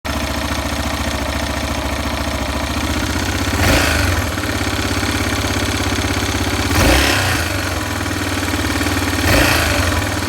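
Cold single running a steady, slightly uneven idle with three quick throttle blips; there's an odd mechanical noise but nothing pins the cause.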